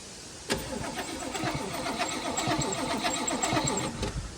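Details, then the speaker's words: Toyota LN65 Hilux 253 V8 after a decade sitting, cranking at a steady churn without firing; coil lead test shows no spark at all. "We have no spark by the looks of things."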